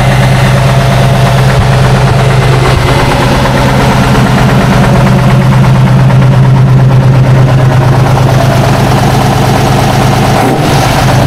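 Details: 1976 Tatra 813 V12 truck, restored after 20 years unused with new hoses, seals, oils and filters: deep steady rumble with an even beat, no knocks or misses; normal clean idle.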